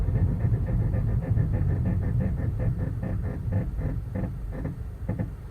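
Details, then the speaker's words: 2015 Subaru WRX Limited while braking from speed: low rhythmic scraping pulses about three a second that fade as the car slows; the noise persists for about 10,000 miles despite dealer rotor turning and a claimed fix. "so I'm going to go ahead and break here so you can hear the noise"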